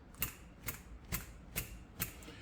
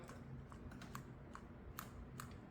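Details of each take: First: PCV valve from 2023 Nissan Versa SV 1.6L HR16DE shaken by hand after being cleaned twice with degreaser: five crisp, sharp clicks about every half second, clearly different from before cleaning; free-moving check ball, normal click. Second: PCV valve just removed from 2023 Nissan Versa SV 1.6L HR16DE, shaken by hand before cleaning: a dozen light, irregular plastic ticks, dull not crisp; valve partly clogged and near end of life, where a new one clicks distinctly.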